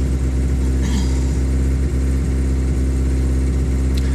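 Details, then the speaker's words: 1989 Geo Tracker, engine ice cold, cold start at about 2000 rpm high idle: loud exhaust with a faint irregular puff and tick over the rumble; exhaust manifold leak, owner believes both exhaust donuts at the manifold are bad. "i said the noise and the popping is the exhaust leak"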